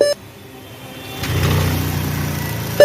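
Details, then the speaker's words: Dell all-in-one desktop at power-on: short high beep, pause with low hum, then another sharp beep; it keeps beeping whether or not it boots, sometimes with no display, a hardware fault warning. "ये कभी कभी on हो जाता है फिर भी ये beep करता रहता है, और कभी कभी इसको ऑन करो तो डिस्प्ले नहीं आता है लेकिन ये बीप करता रहता है।"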